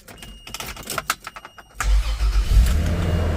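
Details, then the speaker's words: 1994 Toyota Land Cruiser FZJ80, 177,379 miles, cranked from outside the vehicle; brief quick cranking, then a prompt catch into a steady, even low rumble at idle with no misses; normal start and idle. "you do not have to sit in and put your foot on the brake like modern cars I can be standing outside crank it I like that sounds great smooth smooth"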